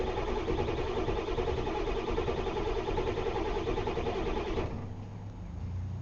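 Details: 1990 Ford F250 Lariat 7.3L International diesel, 5-speed manual, cold start after sitting overnight, glow-plug light cycled first: steady cranking chug about three beats a second for several seconds, never catches. Long crank, no start; cause unknown.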